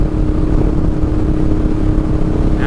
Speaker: go up to sixth gear oh yeah quieted everything down a little bit I still have a nice smooth steady throttle I still feel like I have some power available but everything's much smoother the bike's not yelling at me